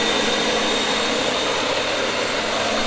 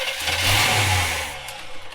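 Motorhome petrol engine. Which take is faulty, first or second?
second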